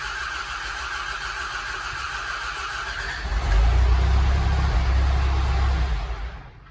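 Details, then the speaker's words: Telehandler diesel, fuel system expected to hold air: cranks, catches and runs rough with a deep uneven beat, then fades and dies after start, likely still pulling air (suspected, not confirmed). "I don't know if there's going to be a bunch of air in there, I'm sure, but we'll just see if it starts, I guess. I do expect it's going to die, because it's got to have a lot of air in there."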